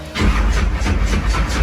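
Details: Blown, injected big-block truck just converted from carburetors to Terminator X EFI, after retune: short crank, then catches and holds steady deep lumpy fast idle around 1500 rpm without stumbling; normal fast idle.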